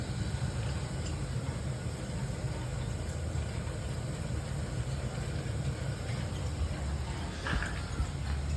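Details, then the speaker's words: Old boiler around 1975, 6 zones, first firing after replacing pump motor and bearing assembly, no leaks: burner lights with lots of racket, settling to steady low rumbling roar, no knocking or squeal; normal burner operation. "A lot of racket. She fired. Fired up."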